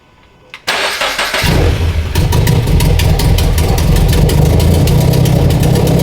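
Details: FRS/BRZ/86 started right after installing Deatschwerks 900cc injectors and fuel pump. It cranks quickly, catches within about a second and settles to a steady, even idle with no misses; normal start and idle.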